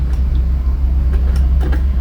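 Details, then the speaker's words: Sakura amplifier: a loud, deep rumbling hum with faint crackles from the speaker when the volume is turned up. The cause is a noisy volume control potentiometer, which is to be removed and serviced. "maingay ano mababato tayo mapapagalitan pagka nagpatunog po tayo nito ng ganyan Ano lalo pa sa bandang gabi"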